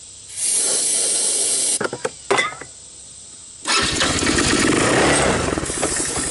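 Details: Tao Tao Bull 150 ATV with stale gas and trashed carburetor: cranks with sputtering catches, then fires and runs only on starting fluid; carb barely drawing fuel though fuel reaches it.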